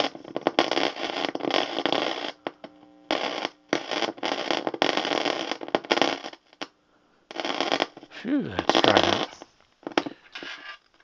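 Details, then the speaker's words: Lafayette guitar tube amplifier, still dusty, on an isolation transformer and variac brought up to 120 V. Irregular crackle and hiss with brief dropouts over hum as the knob turns. The volume control pot has dried out and is very scratchy but still functions. "Okay, we can hear a hum on this thing. and very scratchy. So, this thing volume control has really dried out."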